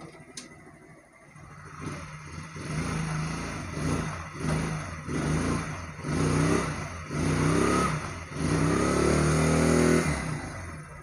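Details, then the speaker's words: Small motorcycle engine revved in repeated blips after tightening loose mounting bolts to cure vibration at 40-60 speed; now smooth and even, no rattle or buzz. "थोड़ी race देकर check कर लेते हैं हुआ है मैं अभी देखिए दोस्तों बिल्कुल साइंटिस्ट ठीक हो गई है यहां पर कोई शोर पैदा नहीं हो रहा है"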